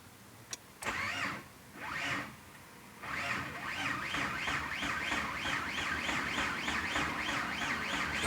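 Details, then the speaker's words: 6A13 engine: after a long, labored crank it catches with a loud, even knock about three to four per second, present immediately and very strong; cause of the knock unknown. "Так, с трудом, но завелась. И слушаем. Стучала сразу. Очень сильно."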